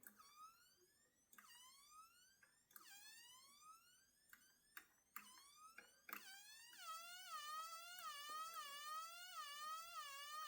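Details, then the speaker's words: Homemade large coil driven out of resonance: piercing siren-like whine sweeping upward repeatedly, a noise indicating bad operation. "Take it out of resonance. When you hear it making noise, that's not any good."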